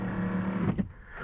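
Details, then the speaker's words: Mercedes W126 560SEL rear electric seat, seats stripped with mechanism exposed, after repair: short even motor whir then clean stop; seat motor works normally. "But I don't think it will be noisy once all the seats are back on and hiding up the mechanism. But it's good. It works."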